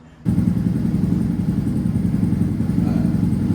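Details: 2006 Suzuki GSXR 600 after fuel pump replacement, pump primed: engine catches first try and settles into a steady, even idle with no stumbling or hunting; runs properly.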